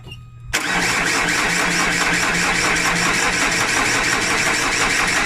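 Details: 2010 Vauxhall Insignia diesel cranking but not starting: starter churns at a steady quick beat without firing; barely any diesel reaching the high-pressure rail, low fuel pressure, turned out to be a lazy fuel pump.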